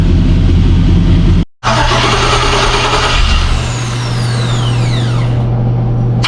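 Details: Bronco II rock crawler after a swap to a 2005 5.3 LS V8 with a Turbo 350 transmission: it cranks, catches quickly and settles into a steady, even idle with a brief smooth rev, nothing loose rattling; normal start and rev.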